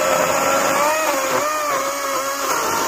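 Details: Greenworks 80V battery chainsaw cutting mostly oak sawmill slabs: steady high electric motor whine that dips and wavers as the chain bites, running smooth under load; normal cutting.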